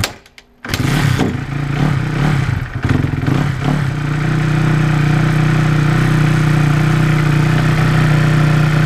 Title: 2009 KX250F First start after putting new valves into head